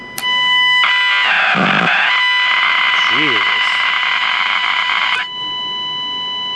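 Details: Packard Bell 35 AM tube radio under restoration, coils and tubes checked, nothing passing the IF stage; steady high whistles with a warbling, swooping squeal over hiss, no station audio. Squealing and whistling oscillation.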